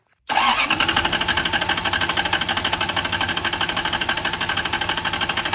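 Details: Lexus LS400 (million-mile car) during a compression retest of cylinder number one with a borrowed tester: steady starter cranking at about three even pulses a second, no firing, each compression stroke strong and regular. Normal cranking.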